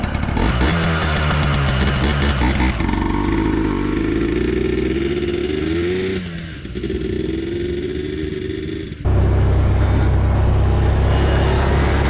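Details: 2003 Yamaha Blaster two-stroke after full rebuild with new aftermarket parts, test ride: crisp revs climbing and dropping with throttle through gear changes, no rattle; normal two-stroke running.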